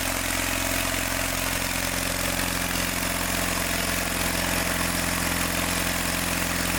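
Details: John Deere 318 after valve job, given a shot of starting fluid: engine runs uneven and lumpy about three pulses a second, flat and weak, getting hot fast; ignition problem, points gap too small.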